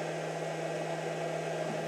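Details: Pyle power inverter just switched on, about to be tested with a 230 W load: a steady low electrical hum under an even fan rush, with no rattle or pitch wobble; running normally.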